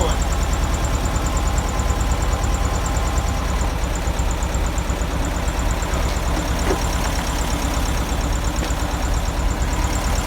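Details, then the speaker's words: 1971 VW Beetle air-cooled flat-four with cleaned reproduction Kafer 34 PICT-3 carburetor, fuel mixture screw turned out during adjustment: lumpy, wandering unsteady idle; owner suspects choke fast-idle part not returning fully is holding a false idle. "it's kind of got a fake Idol right now"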